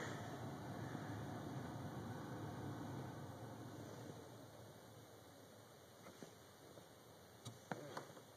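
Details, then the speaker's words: 2001 Dodge Ram 1500 after blower motor resistor replacement, ignition on, heat on second fan speed: soft, even rush of air with a faint steady hum and no rattle or squeal; blower running smoothly, all speeds working again. "let's fire up the heat and see if it works yep if you can hear that but that's the second blower"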